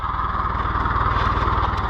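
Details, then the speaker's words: International IH 584 diesel tractor after clearing trash from the fuel line's 90-degree banjo bolt elbow: steady, rapid diesel chug at idle, even and unbroken, no misses or stumbles; running cleanly, normal idle. "well luckily we were able to get the little IH going again uh all it ended up to be as you could see was trash in the uh fuel line in the 90 degree banjo bolt elbow"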